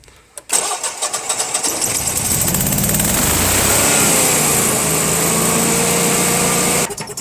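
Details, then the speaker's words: Honeywell/Generac generator model 60341, cold start, owner reports occasional overcrank lockouts: catches, surges, then sags and struggles before settling; bogs after starting, suspected gas meter/regulator clamping down or undersized gas line, unconfirmed. "i don't know if you heard that or not but it had a bog down there after it started to run"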